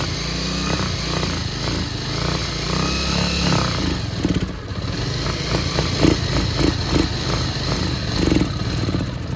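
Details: Bajaj Pulsar 150 single-cylinder with old carburettor, blipped on choke: uneven, lumpy note that only half picks up; fitting a Discover carburettor made it run smoothly, confirming the faulty carburettor.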